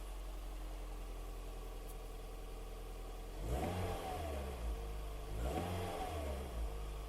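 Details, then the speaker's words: First-generation Toyota Yaris 1.5 TS after a provisional exhaust repair with aluminium tape: low, muffled idle with two clean revs, no blowing or rasp. The earlier rally-like noise is gone, much quieter; normal exhaust note. "je veux montrer que ça fonctionne ça fait plus le bruit voilà c'est nettement plus silencieux"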